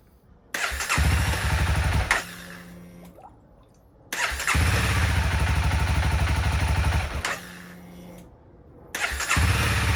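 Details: 2016 CBR300R with 1133 miles, parked 7 years, started during a coolant top-up: it catches quickly on each crank and settles into a quick, even idle before shut-off; a healthy start, with the battery charging at 15.6 V.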